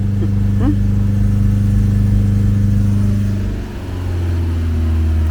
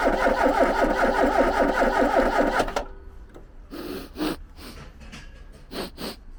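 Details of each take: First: Ford Capri garden find just started with easy-start spray, heard at the rear exhaust: deep, steady rumble, with revs held, easing down and picking back up cleanly, no misses or rattles; it runs well. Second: Ford Capri garden find: the starter spins the engine in an even, steady rhythm for nearly three seconds with no firing, so it cranks but won't start. Possibly too little fuel, as no fuel smell is noticed.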